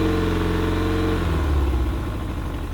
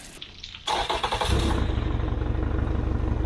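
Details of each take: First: Pontoon boat outboard after carburetor cleaning: steady running note, then pitch sags and beat turns rough and uneven as it starves for fuel; tank fuel vent was closed, primer bulb not soft. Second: Yamaha outboard on 1980/81 Sun Tracker Party Barge pontoon, water hose on, after opening fuel vent and turning choke off, before carburetor cleaning; catches after short crank and settles into steady, even idle with no misses.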